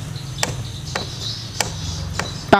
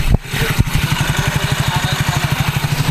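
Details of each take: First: Soul GT automatic scooter clacking at the rear gearbox when throttled: pulley shaft rocked by hand, a few sharp separate clacks about a second apart; gear-ratio spacing not tight enough, worn gearbox bearing play. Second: Soul GT automatic scooter that had a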